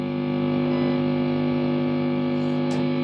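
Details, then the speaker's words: Mesa/Boogie Mark IIC+ Reissue on a variac at about 100 V, new Sovtek 7025 preamp and 6L6GC power tubes, gain, volume and treble up: steady low mains hum, no squeal or howl; normal idle without oscillation. "And let's now plug it in and listen to this. No oscillation. The amp is good."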